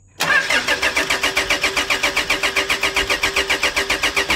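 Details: 2008 Toyota Fortuner with a crank-no-start fault. A shop blamed the pressure pump, but the suction control valve's two O-rings were thin and pinched and were replaced. The starter cranks with fast, even compression pulses for over four seconds but never fires.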